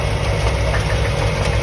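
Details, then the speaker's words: 1988 Corvette V8, bought with the noises: a steady idle with a dull knock underneath and a faint squeak. The exhaust shows no miss; the source is not pinned down, seemingly on one side of the engine, cause unknown. "Yeah, it sounds like it's on this side, and it sounds like maybe it's right here. And something's squeaking also. So, who knows?"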